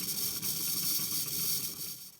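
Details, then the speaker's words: Water heater being drained with a Drummond transfer pump, well water with sediment: steady airy hiss of air being sucked back through an open basement powder room faucet as the pump pulls water out quickly; normal while draining. "you can really hear that air being sucked back through mainly because that pump is really pulling that water out pretty quickly"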